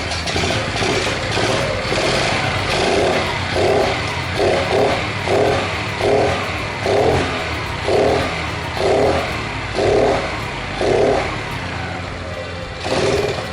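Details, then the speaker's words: Chaly motorbike (originally 6V, converted to 12V, still on the original coil) before an ignition coil swap: coughs about once a second when turned over but never runs. Spark plug is black; owner later suspects carburetor settings. "Có vẻ như nó sẽ sớm nổ máy, nhưng nó khởi động không tốt."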